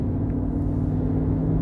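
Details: GMC Denali on a road test, steady low drone under road rumble that holds pitch while cruising; humming suspected from the differential, not confirmed.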